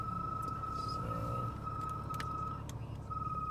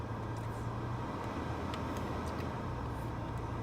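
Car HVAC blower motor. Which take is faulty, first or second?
first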